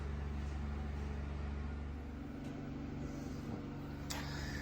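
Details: Blomberg dryer: deep heavy drum rumble with steady low hum and a throb about four times a second, caused by a broken front felt seal; replacing the felt restored quiet, smooth operation.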